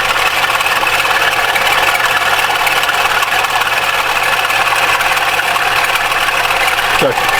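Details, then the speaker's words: Mitsubishi ASX 2013, 1.8 petrol, CVT, FWD, 448,000 km, bonnet open at idle: rough uneven rattle over engine note, intermittent; owner unsure if alternator or belt; actually alternator overrunning clutch pulley, later replaced. "То ли Динамо, то ли сам ремень. Вот не пойму, что за херь такая."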